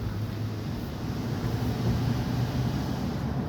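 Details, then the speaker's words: 2005 Dodge Durango 5.7 Hemi while driving, after spark plug and air filter replacement: smooth, even low rumble with some wind hiss and no ticking; the former tick at idle and take-off is gone. "you don't even hear it tick anymore. And it's a lot quieter. Definitely a lot quieter."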